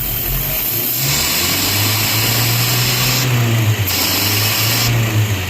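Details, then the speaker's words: Datsun Roadster converted to EFI, idling; a vacuum port is slowly uncapped and capped, so the idle rises with the extra air and then settles back. This demonstrates an idle control valve that adds air when cold. Idle speed change from a controlled vacuum leak. "so here the car's running and I'm slowly uncapping this and you can hear that the idle is changing Clos open"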